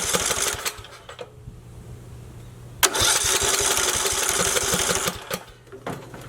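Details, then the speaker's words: Briggs & Stratton 19 hp mower engine with old-smelling fuel, cranked on starting fluid. Two bursts of quick, even cranking that never catch or pop, and compression seems decent. Owner suspects a spark issue. "Might be a spark issue. Because you'd think with that starting fluid it would at least pop a little bit. Sounds like we're getting decent compression, to which we are."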